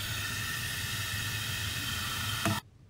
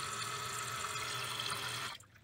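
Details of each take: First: Toilet fill valve not shutting off: steady hiss of water running through the fill valve cuts off abruptly as the float height is raised by turning the adjustment screw clockwise with a flat-head screwdriver. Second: Toilet with a newly installed, height-adjusted fill valve. Steady hiss of filling that cuts off cleanly near the old water line after about two seconds, with no dribble. Normal fill valve shutoff.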